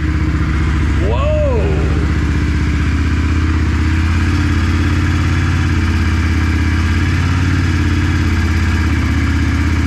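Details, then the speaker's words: Steady, even V-twin idle from a 1994 Yamaha Virago 535 (XV535) after replacing the carburetor diaphragms, which had limited it to 55 mph; smooth low beat with no misses, knocks or hunting, and crisp throttle response. "first of all this bike sounds like it's running way better throttle response is crisp woo"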